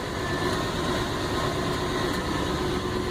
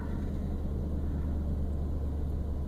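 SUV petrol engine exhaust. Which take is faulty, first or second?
second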